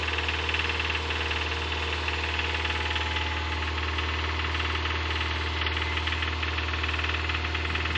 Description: Engine rod knock on a 2005 Subaru 2.5rs with 100k miles.